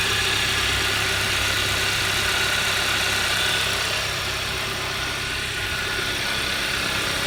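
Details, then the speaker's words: 2011 Hyundai Sonata, high mileage, warm after ten minutes running, after quick repair of spun #1 rod bearing (low oil) by polishing crank journal and new bearing: steady, even idle with regular firing, no knock, bottom end quiet. "normal acceleration seems fine let's park it that sounds good"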